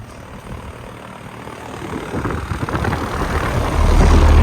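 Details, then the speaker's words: 2008 Carrier Performance Series 2-ton Puron air conditioner condenser, with sound blanket and GE commercial fan motor, just started beside the running Base Series unit: deep steady hum with soft fan rush, louder up close; runs smoothly, no rattles or squeals. "This Performance Series air conditioner is now running. Now they're both running."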